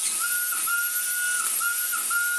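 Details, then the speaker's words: Vacuum cleaner in need of refurbishing; loud, piercing single-pitch whistle with brief dips over the motor hiss when the intake is blocked, like an air leak past a seal, suspected not confirmed. "That noise is what this makes when you block it up. So just like the Shark Wandvac sounds like a train, this does too."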